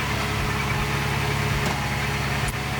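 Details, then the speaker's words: 1979 Porsche 928 V8 warming up, throttle flicked slightly: even, low idle with steady beat and no knocks or ticks; runs smooth and healthy. "that's pretty smooth isn't it I'm just looking there's uh water in the expansion tank super smooth love"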